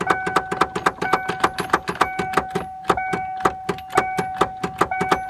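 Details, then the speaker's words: 1994 Ford Ranger, fuel pump running, key turned to crank: rapid solenoid clicking about four a second over chime, engine not turning over. "Solenoid just keeps clicking."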